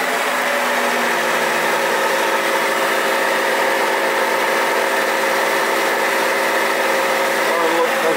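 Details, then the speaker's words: 2009 Holden Barina 1.6L, noise on left side under load and coasting in neutral, wheels spinning in gear on a lift: even continuous grumbling drone; noisy front wheel bearing, CV shaft also wobbling out of balance. "this one's right out of whack okay a little bit noisy in there oh that wheel bearing is pretty noisy"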